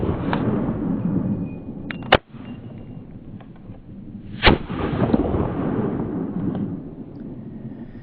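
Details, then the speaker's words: Handgun at the range, hang fire: sharp crack of the primer with a little smoke, about two seconds of hiss with finger off the trigger, then the full gunshot bang. "obviously the primer the primer did its job it you could even you could hear the primer go and there's even a little teeny bit of smoke com"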